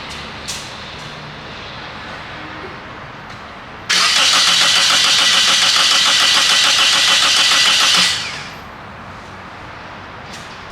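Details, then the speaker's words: 2003 Toyota Corolla 1.8 cranking evenly at about four beats per second without ever firing. Noid light and coil testing show no ignition coil signal and no injector signal: crank, no start. The insurance ALDL adapter was later found to be the cause. "all right so we have no uh coil signal and we have no uh injector signal"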